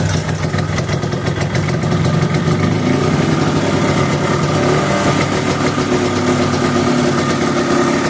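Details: 1973 Arctic Cat Lynx with Kawasaki 292cc two-stroke after clutch tuning with new face, slanted pucks and white spring of 99 lb engagement pressure: steady, even idle with no chatter or surging; sounds better, normal.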